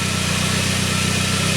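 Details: 1999 Saab 9-3 after work on its crank-no-start; the signal is now healthy. Smooth, steady idle with an even pulse and no stumbles or ticks; the engine runs healthy.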